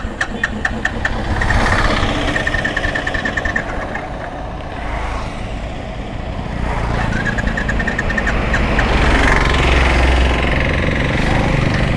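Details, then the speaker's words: 2010 Royal Enfield Classic BS3 (first gen), 64,000 km, kick-started after standing unused: the single cylinder thumps unevenly, surging and sagging. The carburetor has a slight initial lag from storage and needs to be sorted out. "മഴ വരുന്നതിന് മുമ്പ് video എടുക്കാൻ വണ്ടി നിർത്തിയിട്ടത് കൊണ്ട് കാർബേറ്ററിന് ചെറിയ initial lag ഉണ്ട്. അത് റെഡിയാക്കണം."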